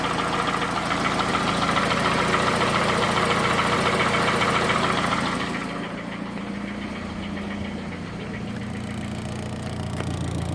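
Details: Toyota Camry 2AZ petrol engine, 220,657 km, heavy smoke from under the valve cover, idling: steady idle with a sharp, even knock about 3.5 times a second; a deep internal knock, possibly from the balancer shafts, is suspected but unconfirmed.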